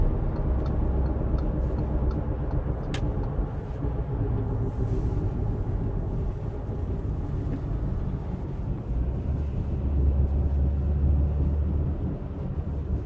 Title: Bad wheel bearing noise *AUDI*